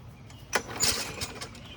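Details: Lawn mower that leaks gas: a couple of quick rasping pull-start cranks outdoors, no firing follows; won't catch, owner checking compression and low on gas. Cause suspected, not confirmed.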